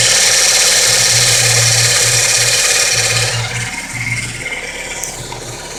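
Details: Fiat Palio Fire engine noise, worse when cold: a loud, harsh mechanical rattle with a steady low hum that eases after a few seconds. A new timing belt and tensioner and checks of the alternator and water pump didn't help; replacing the oil pump fixed it.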